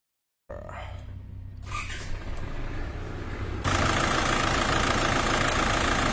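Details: Isuzu D-Max diesel with a low-power, no-start complaint and diesel leak: short starter crank, then catches and settles into a steady, even clatter at idle; normal diesel idle.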